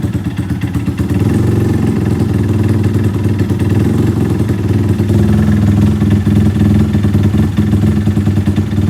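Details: Yamaha LC135/Y15 engine whose block keeps shaking: a loud, busy idle with a clattery, uneven mechanical rattle over the engine note. Abnormal noise and vibration of unknown cause.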